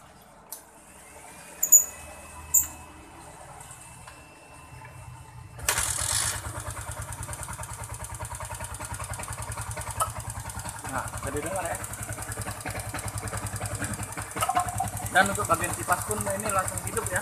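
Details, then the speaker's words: Yamaha Jupiter MX King 150cc, newly acquired, bodywork removed, kick-start very stiff: engine starts and idles very roughly with a harsh metallic clatter over the fast firing pulses, from valvetrain wear. "begini kondisinya ya suaranya kasar ya sangat kasar sekali tidak seperti aslinya"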